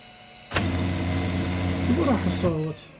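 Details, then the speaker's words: Kyocera FS-1130 printer after replacing worn fuser (oven) gears that caused a loud grinding noise: short, even motor whir with steady tones and no grinding or clatter; the noise is gone. "بقى بس نقبضها للطابعة وترجع تشتغل مثل الوريد. القرة راحت مالتها."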